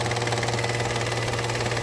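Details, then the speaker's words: Whirring, air-sucking noise at idle from a 2015 Peugeot 308 1.0L three-cylinder petrol with 34,000 miles, regularly serviced, fresh oil change; steady idle hum with faint constant high whir, choppy running, stops when switched off; source not identified. "But then there's this worring noise seems to be coming from around here which I'm sure it didn't have the other day."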